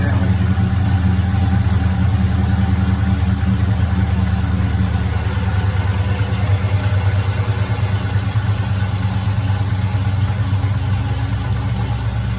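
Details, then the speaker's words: HEMI V8 on its first cold start of the day, heard from the cabin: a steady idle with a light, fast tick riding on top. It persists despite many replaced parts; owner hears it near the driver-side manifold or header bolts. "I'll actually start the car up so you guys can hear it from a cold start, and then I'll pop the hood."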